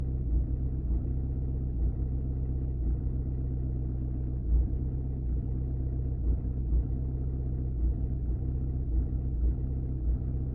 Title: Audi 2.0 tdi rough idle